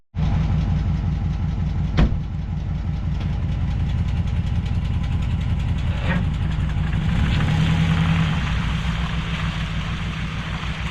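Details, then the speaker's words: 2014 Dodge Ram 1500 with junkyard 2011 5.7 Hemi V8 engine and transmission swapped in, new crank sensor fitted, small exhaust leak: starts and settles into steady, even low rumble idle, no knocks or misses; normal idle. "Just like that. So the 2011 engine will work in a 2014, no problem."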